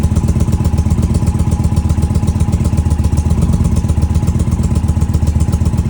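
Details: Indian Challenger motorcycle after exhaust leak sealed with Permatex high-temp sealant inside the pipe joint: even, loping idle, about four firm pulses a second, no ticking or puffing; leak resolved.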